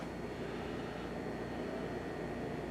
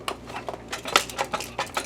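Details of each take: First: Optoma X600 DLP projector after repair of a detached door switch, plastic epoxy and fan repair: fans come on at startup with an even, smooth rush and a faint steady whine, no rattles or scraping. Normal cooling fan operation. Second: Optoma X600 DLP projector that flashes its LED and won't power on: shaking the case gives irregular light clicks and rattles of small hard pieces tumbling inside, a loose part; the door switch had detached and was hanging inside, likely from a bump.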